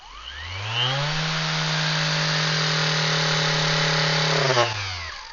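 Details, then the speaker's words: Vevor random orbital sander, 5mm orbit, run at maximum 10,000 rpm: motor spins up to a steady high whine, holds, then winds down; sounds and feels out of balance at that speed, cause unclear. "that sound doesn't sound like it's balanced. And I guess obviously it does have the orbit, the 5mm orbit, but it feels like something's off at that speed."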